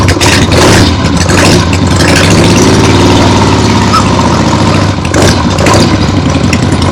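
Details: Freshly rebuilt 1975 Harley-Davidson XLH Ironhead Sportster V-twin on short neighborhood test ride; strong even lope from loud open pipes, no knocks or misses; a few carb farts, likely adjusted out once warm; transmission and brakes good; normal running.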